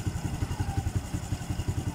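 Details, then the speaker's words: Blade FI after TPS sensor replacement and intake valve clearance loosened; compression still weak (read 50 psi): quiet steady idle putter without hunting, much better than on arrival. "Tapi untuk dari segi langsam ataupun performa, ini motornya sudah jauh lebih baik daripada yang awal datang tadi."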